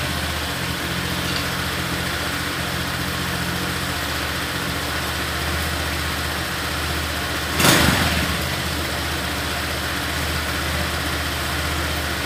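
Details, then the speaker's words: Honda Vario 125 FI scooter after service for idle surging and revs rising on their own when turning: steady, even single-cylinder idle with no hunting or surging; normal idle. "kalau mau tahu gimana ya motor ini setelah diservis kita coba hidupkan ya"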